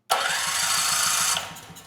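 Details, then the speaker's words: Powermate 5000 W generator (PM0535202.01, engine 185432-0606-E1, Briggs 715808 starter), after fixing starter Bendix-to-ring-gear clearance that had bound the gears: brief, even starter crank with steady whir; Bendix engages and retracts cleanly, normal cranking. "Yeah, there we go. That sounds a lot better."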